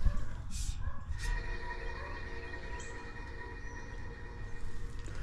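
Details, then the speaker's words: Eight-year-old HVAC condenser fan motor under warranty, at startup during maintenance: thin steady whine over the fan's low rumble from dry motor bearings; replacement of the motor may be recommended. "those bearings sound dry this is a system that's still under manufacturer's warranties eight years old I may recommend that we replace this motor"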